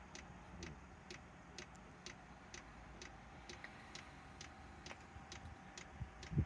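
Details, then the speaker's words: Chinese diesel heater on its old controller, start-up: quiet regular ticking about twice a second over a faint hum; small air bubbles seen in the fuel line, smoky start believed to be unburnt fuel, expected to clear. "And there you go. That is going to smoke for maybe 2 minutes."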